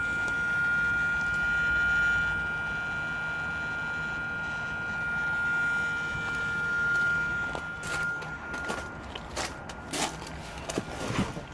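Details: 2007 Hyundai i30 folding door mirror: a thin, steady electric motor whine runs constantly whether the key is on or off; the fold motor never stops, caused by broken parts that were later repaired.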